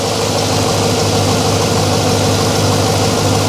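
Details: Engine restarted after exhaust manifold reinstall with nuts and anti-seize on bolts, original composite gasket reused: smooth, even idle, steady low hum, no ticking or puffing leak; manifold sealing properly.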